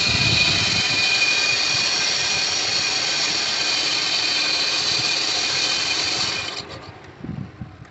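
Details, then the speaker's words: Chevrolet Impala, engine running: a steady, high scraping hiss at even pitch coming from one of the belt pulleys. It is heard as a worn A/C compressor pulley bearing. "vamos a checar que el carro está haciendo ruido y se escucha que es de aquí de de una de las poleas"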